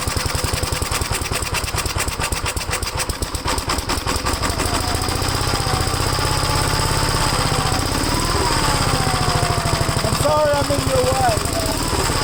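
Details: Gravely single-cylinder engine at first start after gas tank install and new battery terminal: fast, somewhat uneven thumping that settles into a steady, rich beat, rough running on choke; choke later turned fully off and it runs all right.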